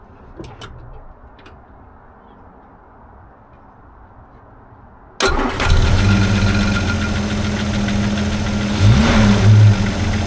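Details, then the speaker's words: Rover P4 after replacing 60-year-old Bakelite acorn plug caps with P6 rubber boots pushed on tight: quiet, then quick crank catches and settles to an even, steady idle with no misfire; normal start and idle, much smoother. "I can already hear from the exhaust note that's smooth can't deny that sounds so much nicer"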